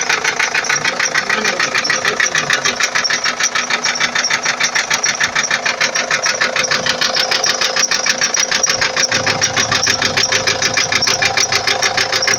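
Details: 2004 Ford Transit 2.4 TDI diesel at idle: a sharp, even knock about three times a second from inside the engine, riding over the idle; the source is unknown and the owner is asking what it is.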